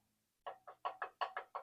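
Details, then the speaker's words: Cheap used miter saw, accuracy check: light hollow taps in quick pairs, about eight in under two seconds, as a workpiece wobbles against the turntable; owner may build a fence bridging the turntable. "you can hear that, and that's kind of a problem because if I put something on here, it wiggles."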